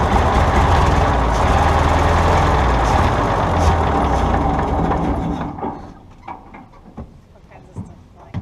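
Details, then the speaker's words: Seized 1951 Brockway truck engine, freed after pickling and with its ignition fixed, running on fuel poured in by hand: a loud, steady run at about three and a half beats per second for five seconds, then it fades and dies as the fuel runs out. "She's a runner."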